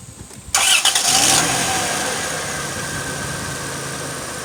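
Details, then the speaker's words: 1998 Dodge Grand Caravan, 80,000 miles, that clicked but would not start: after a battery swap it cranks quickly, fires straight up and drops into a smooth, steady idle; the fault was just the battery. Normal start and idle. "nice so there you have it my friends the click and no star on this 1998 dodge band caravan was just the battery"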